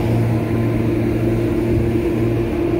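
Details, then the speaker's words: Kitchen AC indoor blower motor running: constant rough droning hum with a gritty edge from dry bearings; plan to shut down, remove the motor and grease the bearings. "If you guys can hear that, bearing sounds dry. So I'm gonna shut this guy down and pull that out and try to lube up the bearings or grease up the bearings and see if that helps."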